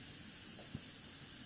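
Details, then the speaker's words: Coleman 508A stove after check-valve repair, generator warming up: smooth, even burner hiss with no sputtering or pulsing; pressure holding and burner running normally, though a small leak elsewhere is still suspected. "But I can feel that the pressure is not leaking. That's why you see a beautiful flame right away."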